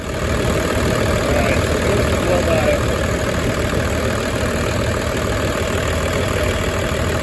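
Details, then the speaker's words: 1996 Dodge Ram 2500 12-valve Cummins diesel, sat seven years, restarted after priming fuel system with lift-pump primer: even, steady diesel clatter at idle, no misses, knocks or hunting; healthy idle. "all right well today was very successful we got the truck started as you saw"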